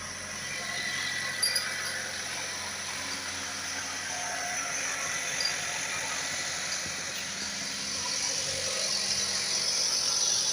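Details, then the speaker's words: 2012 Chevrolet Captiva 2.4 16-valve petrol idling: a thin, fast metallic rattle over a steady whir, from a slack, worn timing chain. The chains are being replaced. "Captiva 2.4 2012, 16 válvulas. Barulho na corrente de comando."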